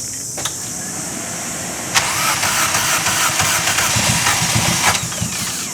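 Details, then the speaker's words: Toyota Starlet 4EFE running 300+HP, started under a week after a new head gasket and studs were fitted: lumpy, uneven idle with a stumbling beat, low on one cylinder, white smoke from the exhaust; a blown head gasket is suspected. Rough-running misfire. "oh that sounds disgusting sorry that sounds really bad yeah [Music] all right so it's definitely low on one cylinder and your reckon is blowing a bit of smoke"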